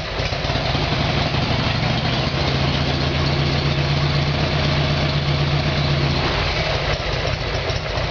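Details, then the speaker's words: Harley Evolution Sportster V-twin, cold start on choke after a carburetor repair: deep, loping twin-cylinder beat at a steady idle, loose but even, with no misses or pops. It sounds healthy while warming up. "okay so I'll go for a start a cold start there should be some backfiring while it's cold I'll use the choke and we'll see how we go"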